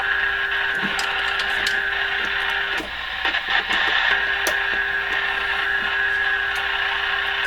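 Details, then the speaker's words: Canadian Crosley 12B tube radio with replaced 6SQ7 detector tube, tuned near 1010 from a signal generator on a long-wire antenna: a faint wavering tone buried in hiss and crackle. Weak, unstable reception with the signal nearly at noise level. "Okay, so in amongst the noise, you're now hearing this radio signal, but it's wow."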